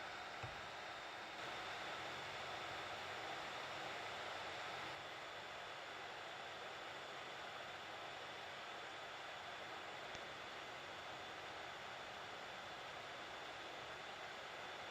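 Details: Hot air rework station at about 400, medium airflow, heating the WiFi chip of a Nintendo Switch stuck at the boot logo from a distance: steady, even airy hiss with no pulsing or surging. Normal airflow.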